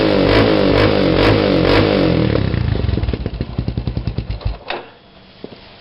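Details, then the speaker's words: Raptor 350 ATV single-cylinder with HMF Performance Series slip-on, quiet core removed: loud barking open exhaust with sharp popping pulses that slow and fade as the engine shuts off, before quiet core installation. "First I'll start it up and show you what it sounds like with the quiet core removed."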